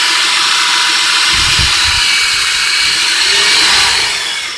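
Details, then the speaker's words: Warm Chrysler Concorde 2.7L after a new water pump, primary and secondary timing chains, guides, tensioner, cam and crank gears, gaskets, front main seal, plugs and hoses: even, steady hiss-like run with no knocks, ticks or misses; smooth and healthy. "but like I said just look how smooth it runs I mean you just can't even feel it feel it running and that's what a precision engine does that's how it should run"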